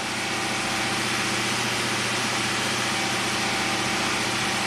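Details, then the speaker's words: 2006 Pontiac GTO V8 with 36,000 miles, idling: a steady idle with an occasional faint stumble. Tech 2 misfire counters show cylinder 3 counting most, with a few on cylinder 1. An aftermarket mass airflow sensor is fitted. "Cylinder 3 is counting up here and there."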